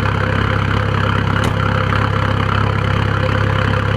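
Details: 1997 VW 1.9 TDI (1Z) diesel, suddenly running rough after being smooth, with white smoke and a lumpy idle of about four pulses a second; cause unknown.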